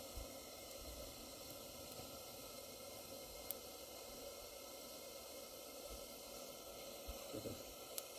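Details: Barn-find English-made Coleman 237 kerosene pressure lantern on original kerosene, untouched generator and mantle, after extra pumping: steady, even pressurised hiss, no sputtering or surging; burning cleanly.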